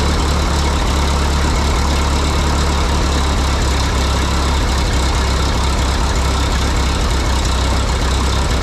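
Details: 1952 Harry Ferguson TO20 tractor after a carburetor rebuild: steady low chugging idle with a lumpy, uneven beat as number two cylinder drops out; its spark plug fouled by the poor-running carb, exhaust manifold about 120°, cooler than the rest.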